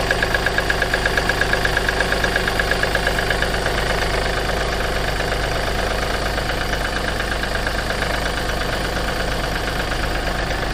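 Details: Seat Ibiza 1.2 TDI diesel idling cold: a sharp regular knock at about 100 a minute over the clatter, fading slightly after a few seconds; cold-start knock.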